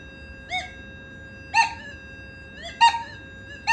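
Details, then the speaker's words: Nokta Makro Legend metal detector in a gold nugget setting with two tone settings raised: faint threshold hum, then four loud warbling rising beeps over a small gold nugget, louder and clearer than before; strong normal target response. "Tuan-tuan boleh perasan tak? Bunyi dia lebih loud, lebih kuat, lebih jelas bila saya naikkan dua benda yang pada tone tadi tu."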